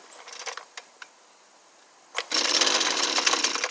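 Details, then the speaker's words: Husqvarna 329L two-stroke string trimmer after a recoil starter repair, choke up and primed: a few pull-cord clicks, then a short burst as it fires; it sounds like the carburetor needs tuning. "all right so it hit a lick do that again"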